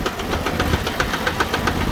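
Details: Sears Suburban garden tractor, fourth transmission failure this year, low range already not working, idling around: sharp knocks four to seven times a second over the idling engine; transaxle knocking, stops with power off, owner unsure if input bearing.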